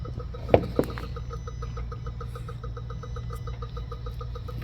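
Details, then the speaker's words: 2016 Honda Civic with cooling fan not working (codes U0401, P0480), fan commanded on via scan tool: crisp, even clicking about four times a second over low hum, like a solenoid cycling on and off; cause unconfirmed. "hear clicking that clicking shouldn't be there interesting look like a solenoid coming on and off"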